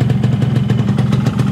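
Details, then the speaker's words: Yamaha RX King two-stroke on first run after fitting an aftermarket Nagoya cylinder block and piston kit, extra premix oil, being run in to bed the liner: even, steady idle with regular quick exhaust pulses, no knocks or rattles; normal. "suaranya Masih normal ya kayak biasanya enggak ada terdengar suara-suara aneh Masih normal"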